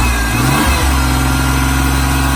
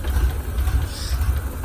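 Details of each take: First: 3.0 V6 with 5-speed from a wrecked Ranger, cranked by jumping the starter solenoid. It fires and revs up and down several times, clean and even, with no smoke, no ticking and no knocking. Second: Ford Ranger (mid-1990s) 3.0 V6, 5-speed, from a wrecked truck, started by jumping the starter solenoid: no smoke, ticking or knocking, but low, lumpy, wavering rough idle; owner suspects broken vacuum lines sucking air.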